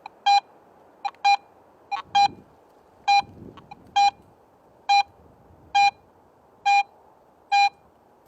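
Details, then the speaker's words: Garrett AT Pro metal detector, silver coin target in Pro mode: crisp, high, evenly spaced beeps about once a second over a quiet background, with proportional audio louder at shallow depth; a normal target response. "Now compare the same target in Pro Mode. It sounds louder at shallow depth"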